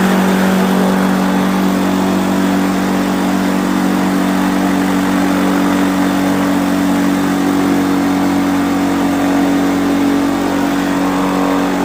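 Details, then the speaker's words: Quicksilver ultralight two-stroke with newly fitted 3-blade Warp Drive propeller, warmed up, static full-throttle ground run to about 6,200 RPM; steady high-pitched drone, even prop hum, no surging or misfire. Normal run-up. "Well, just got done running it on the ground static. I got it about 6,200 RPM."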